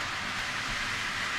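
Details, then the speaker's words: TT120 model railway layout: constant loud hissing roar from a running locomotive, worse at higher speed, quiet at slow speed; distracting excess running noise. "so it's just really quite distracting"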